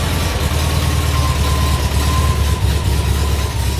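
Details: VW Kombi engine running after the dash install and rewiring: a deep, lumpy low rumble at idle with an uneven beat; it runs but not smoothly, cause not yet pinned down.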